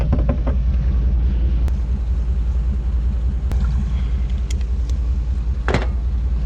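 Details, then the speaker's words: 1959 AMC Rambler Ambassador V8 parked since 1982, three cylinders very low on compression (owner suspects sticky valves/rings), run on little fuel; deep lumpy uneven rumble with no crisp firing beat; low compression. "i did a compression test there's three low cylinders they're really low but it should still fire off and run and it'll probably clear that out the valve sticky rings"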